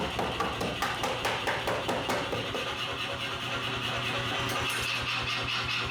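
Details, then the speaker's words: New 55 kg C41 pneumatic power hammer after cleaning factory sludge from the piston and re-oiling: crisp, evenly spaced blows about two a second, then a steady run; working correctly again. "So, this thing is once again working correctly and it is excellent at destroying 2x4s."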